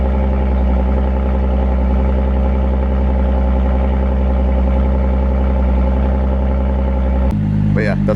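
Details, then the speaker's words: Audi S5 with a Borla exhaust and resonator delete at cold start: a deep, loud, steady idle with an even low drone and no misses or knocks. It quiets down once warm; normal cold start idle. "yeah, that's what it sounds like on cold start. It's pretty loud. Then it dies down after it warms up a bit."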